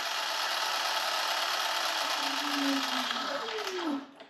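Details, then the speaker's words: Brand-new H-1 Pro Series Ace R450 electric scooter: high whirring hiss with a scraping tone falling as the wheel slows, worse when the brake is touched; brake disc rubbing the pads, rotor flexes when squeezed and the caliper gap looks uneven, so the caliper needs alignment. "So basically, this is making a noise. It's a brand new scooter too, but let me show you."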